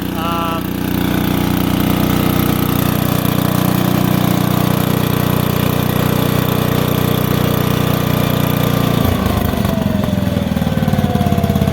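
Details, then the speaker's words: Lincoln Weldanpower AC/DC 225 welder, idle screws adjusted to cure occasional backfire when dropping to low idle: steady, even run that drops smoothly to a lower, still regular idle near nine seconds, with no popping or backfire. "Idle's good now. It had a little, like, sometimes it would backfire when going to low idle, but I've adjusted the idle screws to seemingly perfect. As you can hear, it idles right down."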